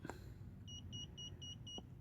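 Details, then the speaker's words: 2010 Honda Civic EX, TPMS scan tool held at the left front tire valve stem: five short high beeps with no confirming tone within about 10 seconds, no reply, likely a bad TPMS sensor. "if you worried about say about 10 seconds if you don't receive anything that means the thing is have a bad sensor"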